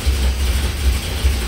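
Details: 1964 Dodge big-block (called a 383; "440 revival") long-sitting project car at first fire-up, with old gas pumped out into a bucket. Deep, steady V8 idle with an even low beat, no misses or knocks. 60 psi oil at idle; normal idle.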